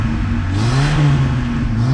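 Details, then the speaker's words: 1982 Dodge Rampage, long-stored, just started on gas poured into the carburetor after clearing bad gas from the lines. Deep, steady drone with a slightly wavering, unsettled beat as it revs; it runs a little rough. "Oh my goodness, it started right up. It's a little bit rough, but"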